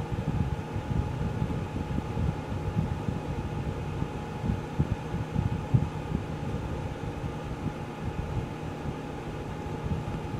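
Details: Geneva infrared quartz element space heater, after full warm-up with elements switched off by remote for cool-down: steady low fan hum with faint constant tone near 800 Hz, no rattles; healthy cool-down fan run.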